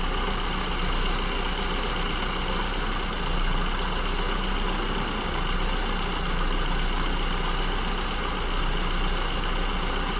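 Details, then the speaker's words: SU-carbureted engine at idle: speed rises and falls in slow waves and never settles. The mixture is too lean at lambda 1.09–1.10 and needs richening to the first stable idle point. "Okay, so we can see again idle speed fluctuating quite wildly, and we are running too lean on the lambda gauge here at lambda 109, 110."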